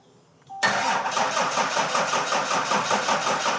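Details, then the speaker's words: 1300+ hp plow truck just fitted with a new custom billet cylinder head, first start with the fuel system not primed: it catches quickly, then idles with an uneven, lumpy pulse. Rough running is expected from the unprimed fuel. "We haven't even primed the fuel system, so it's probably gonna run rough."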